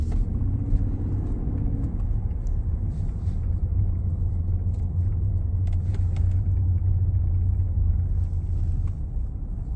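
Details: 2019 Ford F-150 Lariat 3.5 while driving: steady constant-pitch low drone under road noise; front-end hum suspected from IWE, 4x4 actuators or front differential, source still unknown.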